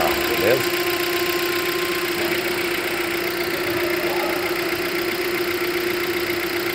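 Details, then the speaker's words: Hyundai Creta 1.6 engine: a steady, even hum with a constant mid-pitched drone and light ticking. This is the car's normal characteristic noise, not a defect. "Vocês podem ver, o barulho é característica desse carro."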